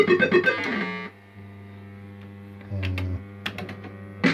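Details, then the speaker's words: System80 pinball machine, a good machine next to one with a suspected failing sound chip: clear, crisp jingle tones with clean note starts and no crackle, buzz or dropouts; this is how the sound board should sound. "So that's how it should sound. Nice and crisp. So that's perfect."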